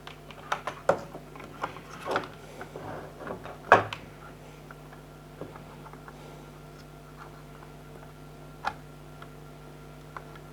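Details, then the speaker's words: Old 80GB Seagate Barracuda 7200 RPM drive, plugged in via USB hub for comparison: a quiet steady low hum with light irregular head ticks as it spins up and idles; normal, healthy drive. "I think I've got like an 80 gig old drive that's useless for anything nowadays. I'll show you how it actually spins and works."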